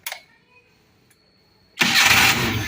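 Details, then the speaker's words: Suzuki Carry 1.0 running on gas (BBG) after idle gas line setup, restarted after the line was reconnected; short quiet spell, then catches at once and settles into an even idle. "Nah kita start lagi biasanya kalau sudah apa habis dilepas dia agak lama sedikit"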